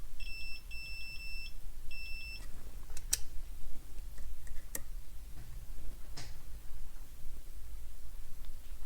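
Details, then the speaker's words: Range Rover Evoque engine control unit damaged in an accident, cover pressed down and bent a capacitor: multimeter continuity tone across its terminals, zero ohms; short-circuited capacitor. "the cover of this unit press down and hit this capacitor you can see it's bent and cause a short circuit if I tilt the board to the capacitor terminals and I measure the resistance you can hear that is a short circuit"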